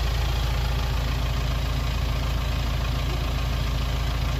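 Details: BMW X3 at 216,000 km, idling after timing chain replacement that fixed a rattle: steady even idle with a low smooth beat, no chain rattle or ticking on top; engine sounds healthy.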